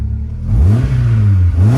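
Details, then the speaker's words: MG ZS 1.6, started straight away: revs pick up cleanly through two quick blips, pitch rising and falling smoothly with no rattle or miss; runs really well. "it sounds good so they're really impressed with that it started straightaway which wasn't wasn't expected seems like she's running I'm really good"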